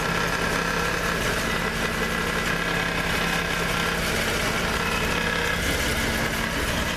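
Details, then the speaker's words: Jeep at idle after a rear main seal repair: uneven metallic jangle about twice a second, getting worse; exhaust rattling against a skid plate probably bent during that repair, later fixed with fabricated spacers. "trying to figure out what the hell that rattling noise is it's getting worse it's getting scary"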